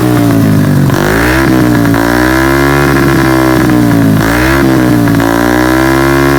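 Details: Honda Beat carburetor 130cc, after repair of piston ring fault that caused rough knocking at high rpm: repeated throttle sweeps with clean, even pitch, no rattle at high revs; healthy, road test pending.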